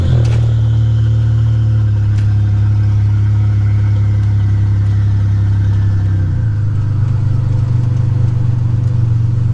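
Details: 1985 Nissan 300ZX Turbo (Z31) driving after misfiring under boost, new spark plugs and wires and replacing a torn intake/charge-pipe hose that caused a boost leak: loud deep exhaust pulling hard and evenly, brief dip at a shift, no cutting out; boost holding.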